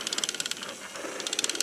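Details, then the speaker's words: Zoids Wild Hunter Wolf model kit, weapon gearbox: fast, steady light plastic clicking as the gear turns and skips without rotating the sonic weapon part; owner wonders if thick paint is the cause, unconfirmed. "You can hear the gear for this moving, but it's not moving the thing. So I'm wondering if it's just the thick paint or"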